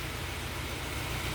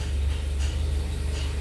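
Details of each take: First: Peugeot 307 SW with antipollution fault: steady low idle with faint uneven lope under hiss, slightly limping; slight stumble, valves suspected pending top overhaul. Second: Peugeot 307 SW with anti-pollution fault warning: even four-cylinder idle, steady low rumble with no stumble or missing beats; all four cylinders running evenly, no longer misfiring.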